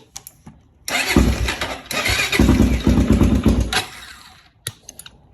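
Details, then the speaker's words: Honda 400EX quad that used to crank without starting in gear, after cutting and splicing the green/yellow wire to bypass the start-in-gear check: a short crank, then the single fires cleanly with a few revs. "And it starts now. So if you're having any type of issue with your 400 not starting in gear, that right there is your solution."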